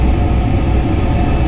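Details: Furnace after service of a noise call with a seized inducer motor and cracked heat exchanger: steady, even low hum over airflow rush, no rattle or rubbing, after the blower motor was elevated with a tie wrap; some air leakage heard.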